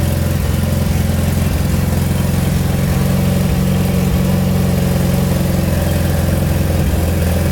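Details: Mitsubishi Evo 8 restarted at idle during an oil change, after a brief run to fill the new filter and topping up slightly low oil. Steady, even low drone with no knocks or ticks, settling into smooth idle; normal idle.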